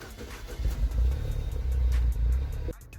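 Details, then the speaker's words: Mini (Mini Cooper S) at idle: uneven, lumpy stumbling beat with rhythm dips; scan shows misfire on cylinder 2. "по звуку автомобіль протраювает."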